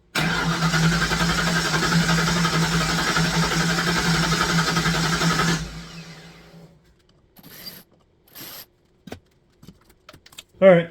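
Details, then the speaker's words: Fox Body Mustang sat for a long time, cranking with no start: steady five-second crank that never catches, after more fuel was added and Berryman sprayed into the throttle. Injector signal, spark and decent timing are confirmed, so the cause is still unknown. "next plan I've tried everything even shot a little Berryman into the uh throttle nothing so I'm not getting anything any kind of bark outside of the fuel that I'm providing"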